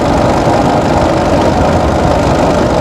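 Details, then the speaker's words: Turbocharged pickup with modified air intake, turbo and hoses, coasting downhill in neutral at idle; steady, even low engine rumble under road noise, no knocks or misses, sounding smooth. "qué rico se escucha el motor verdad se escucha muy bien el motor"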